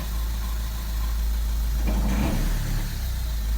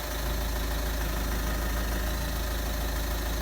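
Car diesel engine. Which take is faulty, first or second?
first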